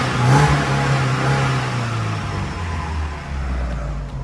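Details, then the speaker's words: Tata CNG car that would not accelerate, fixed by new spark plugs. Warmed at idle for a while, it picks up cleanly when blipped and settles back smoothly with no stumble: normal revving. "อันนี้ผมติดเครื่องรันไว้และพักนึงแล้วนะอ่าติดเครื่องร้านรอบเดินเบาไว้อันนี้เร่งได้ปกติแล้วเนี่ย"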